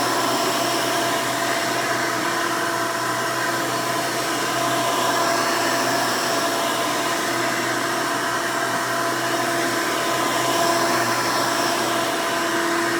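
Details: 1992 Hoover Elite II Total System Performance 650 upright vacuum (U4689-910, square hood, on-board flexible hose), motor untouched since purchase, running: loud, steady high-pitched roar with even motor whine, no rattles or surging; motor running healthy.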